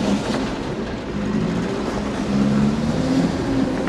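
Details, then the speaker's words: After the exhaust was welded, the engine fires up easier and idles with an even low rumble, no puffing or ticking from the exhaust; it runs okay, much better than before. "amazing fires up easier sounds like she's running okay"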